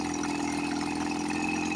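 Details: 1954 Johnson 5.5HP two-stroke outboard, run after about 60 years, idling after magneto reinstall and carburetor rebuild; low-speed needle set from 1.5 turns in until RPM rises, then backed a quarter turn. Steady, even idle, constant pitch, no stumbles or knocks: normal idle.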